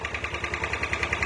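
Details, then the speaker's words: Yamaha Aerox 155, codes 12 and 46 charging fault: after code cleared, idle is uneven with crackly raspy pulse about ten per second; rough idle that becomes normal when the charging relay is unplugged. "nah timbul permasalahan lain adalah nah langsam itu jadi enggak ini ya bisa langkan cuman lebih bunyi kasar"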